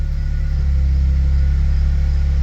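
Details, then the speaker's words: Nissan 200SX getting running again after sitting for a long time, after fuel pump swap, steady even low idle with smooth pulse and no misses or knocks; normal idle. "oh [ __ ] listen to that baby purr oh yeah [Music] dude oh it sounds so nice too"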